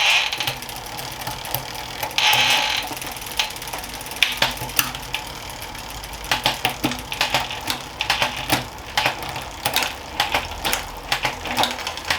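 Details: Planet X Pro-Carbon road bike in the workstand during a gear check: light, rapid freewheel ticking with crisp single shift clicks and no grinding or skipping. The gears work, though the rear shifting is a little sticky.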